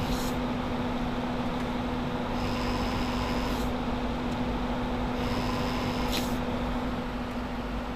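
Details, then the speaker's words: Computer radiator fans (mostly sleeve-bearing, 80 mm) after about two years of 24/7 use: steady hum with a rough buzzing rattle, worse on cold start; one fan rattles so badly it barely spins, bearings drying out, near seizing. "it this one here is not rattling neither is that one but this one back there is rattling so bad that it can barely turn fast"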